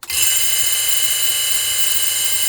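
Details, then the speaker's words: Old Sony tape player with AM radio, mains transformer supply, run through isolation transformer, first transistor previously replaced: at switch-on a loud steady high buzz, unchanging; quieter when unit oriented the other way, cause unconfirmed. "it's a bit loud. See now, if it's up the other way, you don't hear that because she should be this way."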